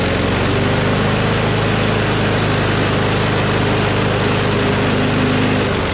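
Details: Craftsman push mower with Briggs Quantum engine after bail cable replacement and priming trouble: steady even drone, no surging or misses; runs better, slight vibration, blade probably out of balance.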